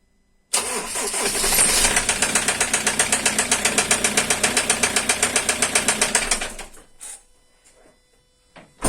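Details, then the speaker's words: 2012 Ford Transit 2.2 diesel started and idling with sharp even knock about four times a second over diesel clatter, then shut off; mechanic suspects connecting rod bearings, unconfirmed until teardown. "вот так если слышали то вот так стучит скорее всего это Шатун двигателя но вскрытие покажет"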